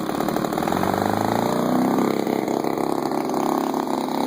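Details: DLE30 two-stroke engine at idle buzzing with revs surging and sagging unevenly as carb cleaner is sprayed; vacuum leak at the reed block gasket.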